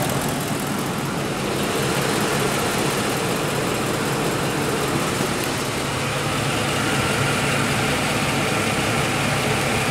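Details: 2004 Ford F150 5.4 3V Triton V8, 104,000 miles, after replacing both cam phasers with OEM parts (VCT valves alone didn't help): smooth, even idle with only a light injector tick, no diesel-like knock or rattle.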